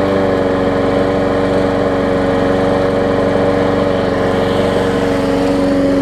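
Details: Bolens trade-in mower after repair; small single-cylinder engine holds a steady, even drone with no misses, surging or knocks; running properly.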